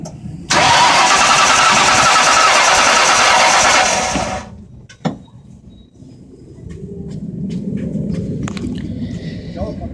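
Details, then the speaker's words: 1997 Mustang GT that started and ran fine, then after about three days began stuttering and won't start despite a fuel pressure check and new timing chain: starter spins quickly and evenly for about four seconds without firing, crank no start, cause unknown. "mustang GT won't start we don't know why"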